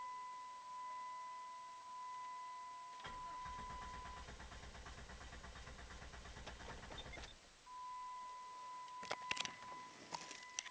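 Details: 1996 Jeep Grand Cherokee 4.0 with remanufactured PCM and replaced ignition coil, cam and crank sensors and fuel pump, stalling intermittently: starter cranks evenly about four seconds, engine never fires, then silence with only a chime.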